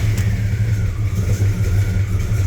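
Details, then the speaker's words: Cold V8 truck engine with a mild cam and an 850 CFM carburetor, started not warmed up: lumpy, uneven low burble that surges and sags; rough cold running from an untuned carburetor, said to smooth out at full temperature. "Not the coldest start and it's not warmed up. You can kind of hear that it's not tuned right."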